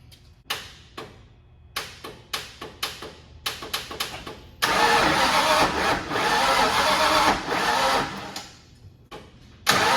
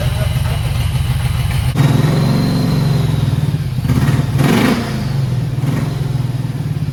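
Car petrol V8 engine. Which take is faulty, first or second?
first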